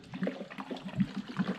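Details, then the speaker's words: Stripped Kawasaki 750 SS jet ski hull, its seat lifted: irregular liquid sloshing and gurgling bursts because the seat cavity is full of trapped water. "there's water in the seat let me do it again this thing is full of water"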